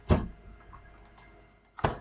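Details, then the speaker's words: Cisco IP phone powering up over PoE from the switch via straight-through cable: two crisp clicks about 1.7 seconds apart in a quiet room; normal PoE power-up relay click. "there you go you hear that sound clicking sound and the second poem our IP phones have been insisting"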